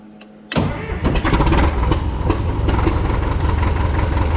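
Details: Cat D4 dozer diesel after cleaning holes, injector fuel leak present: brief crank, catches and settles to steady even low chug with no misses; running right.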